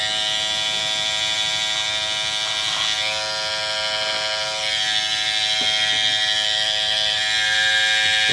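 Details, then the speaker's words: Andis Super Liner clipper after blade sharpening and reassembly, oiled: steady, even high-pitched buzz with no rattle, stutter or speed drop; running powerful and healthy. "it's a very powerful clipper. Very powerful clipper."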